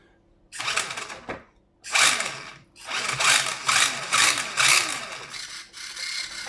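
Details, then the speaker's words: Tamiya TL01/TD01 Ford Focus WRC RC car, battery charged overnight: small electric motor whirs in short bursts, starting and cutting out when connector is moved; battery connector contacts visibly spread, causing intermittent motor power. "Yes, it's actually working, you can see. If I move it, now it's still there, it's gone off."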